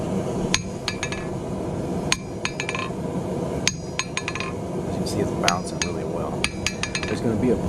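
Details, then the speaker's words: Vevor 110 lb (50 kg) single-horn cast steel anvil with heat-treated face, light tap letting the hammer rebound off the surface; bright ringing pings, each followed by a quick rattle of rebounds, hard face with good rebound. "So I'm giving it a light tap, and I'm just letting it reflex off the surface."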